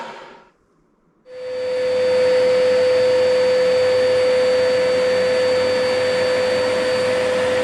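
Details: Chip extractor (spånsug) a few years old, after repair of a scraping/cutting noise with a suspected motor bearing fault: motor spins up after a moment's silence to a steady, even whir with a clean constant tone, no scraping; normal running.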